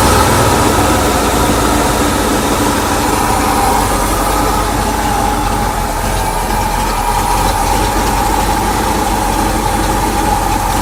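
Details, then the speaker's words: Ford Bronco V8 running rough and uneven at idle, sagging and stalling; idles right at about 700 rpm only with the PCV valve disconnected as a vacuum leak, stalls once reconnected; restarts readily on homebrew ignition system; cause not yet found. "as soon as i plug that back in it'll stall out so start it up and watch it die"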